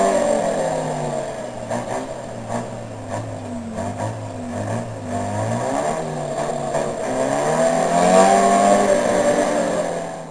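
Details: Chevrolet D60 truck with Detroit Diesel 4-53N two-stroke engine at its 3,000 km service: deep diesel roar whose pitch drifts up and down with engine speed, even and free of knocks; normal running.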